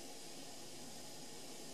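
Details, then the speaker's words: Keurig K40 K-cup brewer, previously not heating, after continuity check on two wires and plugging in: soft steady hiss with faint bubbling rush; heater working and water coming to the boil. "it just says heating and add water working I got here but she's heating up she's boiling"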